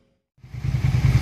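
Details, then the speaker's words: 2003 Suzuki SV650 V-twin start after new radiator install and 50/50 antifreeze fill: catches quickly, deep even thumping idle, no knocks or rattles; normal start-up. "installation complete sounds good sounds real good I let it dry I let it run for about maybe 10-15 minutes"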